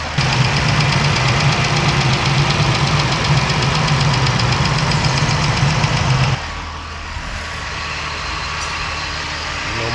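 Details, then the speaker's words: Smooth, even idle settling lower and quieter with no lifter tick or clatter on a 2017 Dodge Ram 1500 3.6L V6 (105–106k miles) after repairing the failed roller followers/lifters that caused ticking; a little residual oil smoke burning off. "All right, so we are here with the final product. Listen to her purr. She's purring like a kitten."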